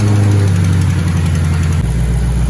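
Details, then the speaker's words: 2008 Mustang GT S197 V8 on first startup after priming, following replacement of the lifters, rocker arms and cams to fix a ticking: deep, steady, smooth idle with no top-end ticking or tapping; normal idle. "Alrighty then, everybody, he's up and running. Bad boy's up and running."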